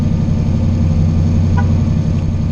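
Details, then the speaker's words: Chevstang V8 on MicroSquirt batch-fire tuning, air-fuel ratio bobbing despite even fuel table: deep, even rumble with steady beat, no misses or knocks; fairly smooth normal idle. "believe it or not the ladle is actually fairly smooth"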